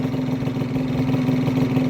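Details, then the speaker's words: Honda Vision scooter, bosozoku project, after new starter jet and carb tuning: small single-cylinder buzzing at steady fast idle around 1500 rpm, even beat, no hunting or misfire, holding on its own; normal idle. "let go of the throttle and it's idling perfectly it's around, 1500 going on the gauge but it sounds perfect that's the best I've ever had it running on its own without me having to intervene"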